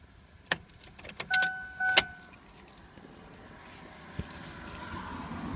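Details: 2002 Ford Explorer 4x4 with the 4.0 V6 that wouldn't start the morning after parking: a handful of sharp, separate clicks, then nothing, no cranking. Owner found it wasn't the battery, and a replacement starter didn't fix it; cause unknown.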